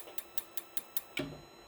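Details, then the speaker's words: RV propane water heater ignition test: quick sharp spark ticks about five a second with gas valve clicking over three attempts, then one heavier click as the board locks out without lighting. Ignition lockout after failed ignition attempts. "and lock out there you go folks that's what happens"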